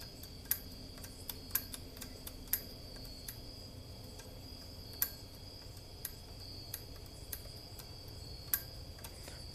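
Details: About 50-year-old R80-Z garage door operator, converted to 10-foot rail and full chain drive: sharp, uneven clicks over a faint hum, some weak or skipped, relay hanging up intermittently; cleaning contacts didn't help, owner suspects mechanical fault, unconfirmed.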